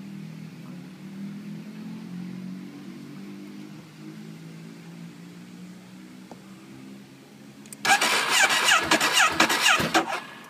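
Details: Ducati 848 after heavy rain, previously lost power with exhaust inner glowing red: quiet hum then starter churns hard for seconds but engine never catches; cranks, no start.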